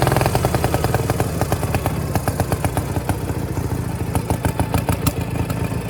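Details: Power King 2417 lawn tractor: uneven, lumpy popping with irregular firing and sluggish pickup; running rich with poor throttle response from a sticking float and clogged main jet.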